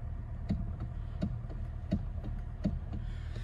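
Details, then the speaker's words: 2013 Hyundai Elantra GT 6-speed manual, engine running: dull low knocks about every 0.7 seconds over a quiet idle; worn steering wheel coupler clunking, also felt when driving and heard when braking. "You can only hear and feel it when you're driving it and also when it's running condition. So this is the running condition."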